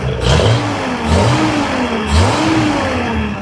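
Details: 1971 Datsun 240Z after a six-month restoration, just before its first drive: two sharp blips climb and drop back cleanly with a smooth idle between, the six pulls crisp and even, sounding healthy; oil pressure up, normal revving.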